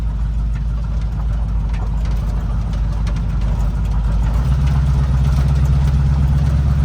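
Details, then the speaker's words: Chevrolet El Camino V8 idling, alternator charging 14.5 V, a couple of exhaust leaks audible; deep, even burble with a settling note partway, no knocks or misses; normal healthy idle. "But she's a certified ripper now. Listen to that baby purr. My dad's gonna love this thing."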